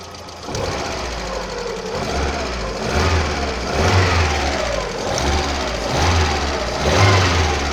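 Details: VAZ 16-valve engine idling: uneven light tapping over the running note, roughly once a second, from noisy hydraulic lifters.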